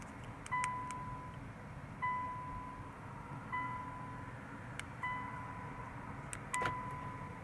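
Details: 2015 Infiniti QX60 towed in as a no-crank, no-start, with the key not detected: short, clear chirps near 1 kHz repeat about every 1.5 seconds with light lock actuator clicks as the remote starts working. Normal door lock chime and actuator operation.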